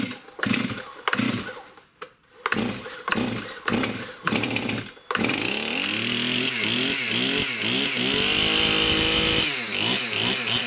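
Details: Stihl MS291 chainsaw, hard to start and bogging, fuel confirmed properly mixed: screams at full throttle, then revs sag and hunt unevenly when released instead of settling; won't hold idle.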